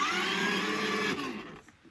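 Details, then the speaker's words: Kids' electric ride-on motorbike fire engine after repair, battery terminals refitted and charged a couple of hours: small motor gives a smooth, steady whine in forward then reverse and winds down cleanly; running normally, repair successful. "And as you can see here, we've got power now. Just press the forward pedal. And you can hear it moving forwards, and just flick it backwards."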